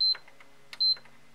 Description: This ps5 beeps but will not show any white led or standby light. The issue is a short on the mother board.